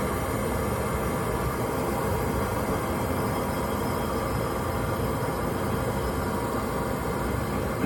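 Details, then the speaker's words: Riello oil burner motor running: steady rough grinding growl with faint whine, getting louder over time; worn burner motor bearings, nearing failure. "That's the burner motor failing. That's the bearings in the burner motor. They're no good. Can hear it grinding."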